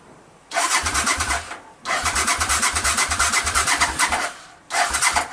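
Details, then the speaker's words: 1985 Honda VT500 after engine rebuild, choke on, waiting for fuel to reach the carbs: three bursts of fast, even starter cranking, each stopping without catching; cranks but won't start, cause not confirmed. "I mean I heard the engine crank up and it sounds good so I'm just gonna let time for the fuel flow to the carbs and I'll start it up in a time right now choke is on"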